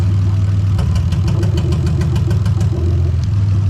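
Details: Lexus IS200 with IS300 2JZ-GE VVT-i swap, J160 manual, remapped ECU: idle with a regular uneven stumble, a light tick repeating a few times a second, as one cylinder drops out during an injector-by-injector test; misfire code pending.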